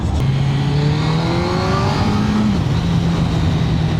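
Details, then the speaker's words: Suzuki GSX-R1000 K1 with stock exhaust on the road: clean engine note climbing smoothly through the gears over wind noise, pulls strongly with no misfire or rattle; normal acceleration, stock exhaust sounds good. "now it pulls I like it it's got a nice uh nice feeling about it a little pull in here actually and that stock exhaust sounds good as well like it"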